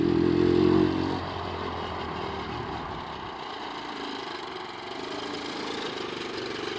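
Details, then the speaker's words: Hammerhead 110cc Chinese go-kart, sat almost a year, after carburetor cleaning, new battery and drive sprocket: short rev then light, steady idle with no misses or stalling, starting right up; normal idle. "It started right up. Yeah, got the carb cleaned out. It's firing right up. No problem now."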